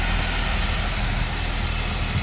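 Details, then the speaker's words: 2015 Jeep Wrangler JK 3.6 idles smoothly with a steady low rumble and no belt whine after replacing the idler pulley that caused a loud whining sound. "let's start it up and see how it sounds real nice the wine is gone and it was a 20 fix"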